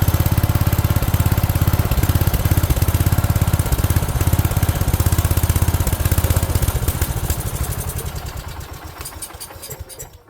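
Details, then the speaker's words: 1970s AMF 1414 barn-find garden tractor, first run after a no-spark fix and fresh oil: single-cylinder chugs unevenly at about 200 beats a minute, then sags and dies. It sounds fuel-starved; owner suspects an unsuitable fuel filter for the fuel pump. "So, as you just heard or saw, it is running. Um, sounds like it's not getting enough fuel."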